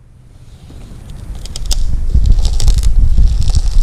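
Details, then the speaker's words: Original early-1970s Grumman aircraft fluid hose, fire-sleeved, expired in 1976 and leaking: dry irregular crackling and crunching as it is bent by hand; almost 50 years old, stiff, brittle, unserviceable and needs replacing. "[Music] so ladies and gentlemen that's what a bad hose sounds like that's what it looks like"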